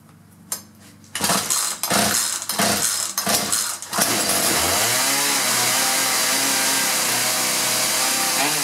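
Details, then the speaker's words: Two-stroke chainsaw that would only start for a second, fixed after misrouted fuel lines were suspected: after a few pulls it catches and holds a steady, even high-pitched run without stumbling. "operator adjusting and off we go I think we got a winner here"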